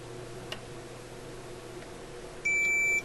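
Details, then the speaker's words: Sparton Model 67 vacuum tube radio: a single clear half-second ohmmeter continuity beep after re-soldering a bad connection; the connection is restored. "let's see if it works well I guess we can try just with the ohmmeter first off why not"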